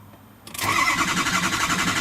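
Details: 2003 Ford F250 Super Duty 6.0L Powerstroke after oil cooler replacement and EGR welded shut; FICM sync reads 0 key-on, 1 cranking: the engine cranks with an even churning rhythm but never fires; crank no start.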